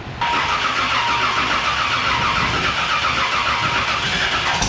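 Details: Race car with newly installed 1150cfm Pro Systems carburettor on E85: long, even starter cranking with rapid chirping whine but no steady firing before it finally fires; hard starting.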